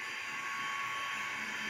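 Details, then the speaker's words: Athearn DD40 model locomotive, dual five-pole motors, DCC sound, plastic driveshafts replaced with homemade ones: thin steady high whine over motor hum at low speed, gears audible in corners. Gear whine. "they kind you can really you can hear the gears woring when it goes to the corners and um it's not bad"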